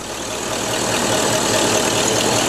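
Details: Classic Ford Mustang just after distributor installation, which initially would not start until the distributor was advanced, with timing at top dead center: steady, even idle with smooth exhaust pulse and no knocks or misses.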